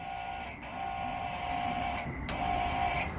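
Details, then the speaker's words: '78 Dodge Power Wagon with a 383 V8, sitting over 10 years: thin electric fuel-pump whine cutting in and out whenever the balancer socket grounds to the chassis; a backwards connection and a loose lead touching the chassis were found as the cause. "if it grounds out we've got a mystery fuel pump it sounds like somewhere just having a good time"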